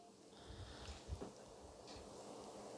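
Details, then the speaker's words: Rowenta VU5870F0 16-inch pedestal fan, one speed step above the lowest, where it had whined: now a very soft, even airflow hum with no tonal whine. Running quietly and smoothly. "and as you see the whining noise is gone and is really quiet and the wind is just blowing at me but it's very gentle"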